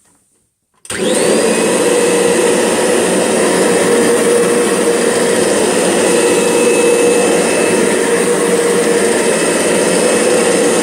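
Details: Kirby G6 upright vacuum running with carpet-fluffer brush head belt disengaged: starts abruptly and roars steadily with a rough buzzy edge and sharp whistling tone; strange noise, cause unconfirmed.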